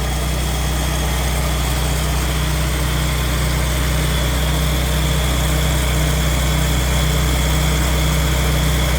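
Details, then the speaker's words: Morris Minor van with Judson supercharger, cold, set on high idle to warm up: steady, even fast idle with smooth low hum, slight supercharger rattle, no knocks or misses; a small vacuum leak at the intake manifold being chased. "noticeable I've got it on high idle way now because it's cold and uh just letting it get warmed up a little bit"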